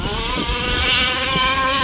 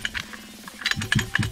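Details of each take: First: Rovan 5B RC car with stock Rovan 29cc two-stroke and Dragonfly pipe, after troubleshooting a cut-out and a heat-cycle break-in: high, buzzy scream holding steady revs at full throttle, then dropping off cleanly. Normal running at high revs. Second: Stock Rovan 29cc engine in a Rovan 5B RC car that died after five minutes of running, turned over with the pull-starter: sharp, repeated metallic clicking; small end bearing failure.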